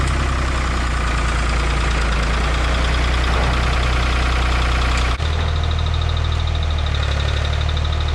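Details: 1985 Ford 545A 3-cylinder diesel tractor loader backhoe, first cold start after rebuilt injector pump installed and bled: steady clatter at settled idle with even low thrum, running cleanly; hydraulic pump is really slow.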